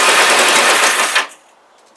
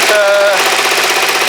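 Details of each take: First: Kawasaki GPZ500S twin on brand-new fuel: catches after brief pause, runs ragged with uneven popping pulses, vapor or steam from back of carbs; rough running, cause unclear, timing suspected by others. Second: Kawasaki GPZ500S warming up, not yet at temperature: even steady firing, no misses or stumbles; owner thinks the spark plug was the issue, though vapour still comes off it. Running smoothly.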